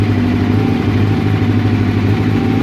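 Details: Honda CB700SC four-cylinder at cold idle during vacuum gauge carb testing: low throbbing idle with uneven lumpy pulse, one cylinder not pulling its weight; owner suspects clogged pilot jet on number 2, not confirmed.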